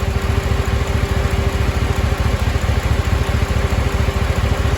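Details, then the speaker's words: LQ9 6.0 V8 first startup after head gasket, valve job and lifter replacement: steady idle with quick puffing tick from exhaust manifold leak, two broken and three missing bolts; earlier lifter tick gone. "And it's got a little bit of the exhaust manifold leak. It's got two broken bolts, and right now it's missing 3 bolts altogether because the back one I couldn't get it in."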